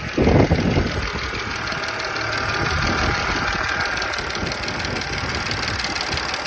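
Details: Audi B8 S4 petrol engine fires up and settles into idle with a loud, quick, sharp ticking riding over the hum.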